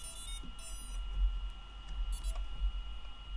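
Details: Pavo Pico drone on replacement frame with DJI O3 air unit, battery plugged in: faint high electronic tones over low room hum as it powers up and binds; normal.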